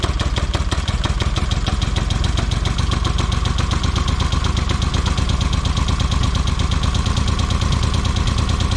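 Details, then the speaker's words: 1979 Yamaha XS750S rebuilt engine after refitting the seized ignition advance mechanism: steady, even firing at constant speed with no misses, knocks or rattles; starts great, normal running. "So I'll give it a good test. The advanced system's working well. Put the plate back on, and it starts great."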